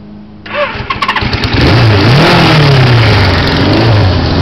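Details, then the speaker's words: 1980 Suzuki GS550E four-cylinder with Wiseco 12.5:1 pistons, Wiseco cam, 603cc, rejetted carbs and GS650GT exhaust, on its second start after rebuild: quick crank and catch, then crisp, even blips; running healthy. "mouse sounding pretty good considering"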